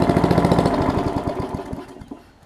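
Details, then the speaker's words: Briggs Classic engine from sat-out Murray push mower, good compression, oil in cylinder and wetting the plug on first start: uneven, lumpy firing that slows and stumbles before dying out; rough running from oil fouling. "i'm just going to see if it'll crank and run it's got compression so that's good so not at the moment it looks like so let's uh get a little bit more to see if it'll overcome the oil situation"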